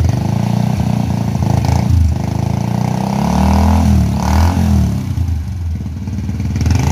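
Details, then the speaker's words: Honda Revo FI fuel-injected motorcycle after fixing an erroneous TPS output voltage, which had made it rich, fuel-thirsty and stumbling at held rpm: revs rise and fall cleanly and hold steady without popping; now running normally. "oke motornya sudah hidup normal ya bisa teman-teman dengar untuk suaranya Udah enggak breerebet lagi"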